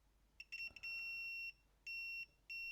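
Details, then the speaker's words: Badly damaged PlayStation 1 SCPH-7502 mainboard: three short high multimeter beeps testing a freshly soldered repair at the test points. A good connection is confirmed. "I'm just going to test that with a multimeter as well, using them test points."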